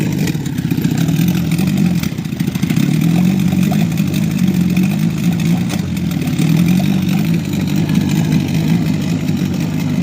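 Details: Small outboard boat motor sputtering: low uneven burble that wavers and stumbles as if fuel-starved; owner suspects an air leak at the fuel filter fittings, where petrol sprayed when squeezing the primer bulb; cause unconfirmed.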